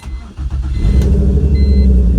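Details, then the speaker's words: Turbo E46 BMW ZHP, true cold start at 30°, after two days of rain, cowl filter tray missing: cranks, catches, settles into low lumpy uneven idle; cold start misfire, attributed to water (ice found); later runs well. "You heard that cold start and it was missing because, well, would you know it, you don't have the filter tray under there to catch the water and drain it."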